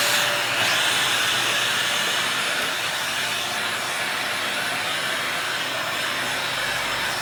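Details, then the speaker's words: Dyson DC40 upright vacuum found in a skip, after hose repair, running with a tool fitted: steady high airy roar with strong, even pull and no surging or rattles; really good suction. "you can swap it out so you just put the small lunch in there really good suction"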